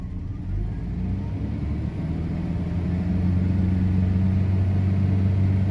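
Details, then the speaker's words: Daimler (Jaguar) XJ40 that keeps stalling: steady low idle continuing with the fuel pump not running, living on residual fuel, then going lean with injectors getting noisier and starting to miss. "So it runs for a while without a fuel pump, really. There we go, it's getting lean."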